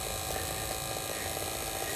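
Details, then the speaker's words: Lotus Elise fuel pump tested after refitting with a makeshift O-ring, following a no-start: quiet, steady, even electric hum with a faint buzz; pump running smoothly again, normal operation. "allez dernière étape on teste c'est parfait et ben elle remarche nickel cette pompe"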